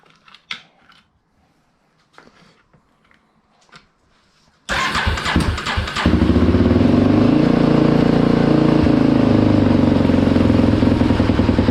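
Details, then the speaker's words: Polaris Predator 500 rebuilt basket case with aftermarket DG exhaust, started in garage: quiet, then single cylinder cranks, catches and settles into steady even thumping idle through loud pipe; normal running. "for now i'm going to go ahead and open the garage door we'll get it fired up so you guys can hear what it sounds like with the dg exhaust"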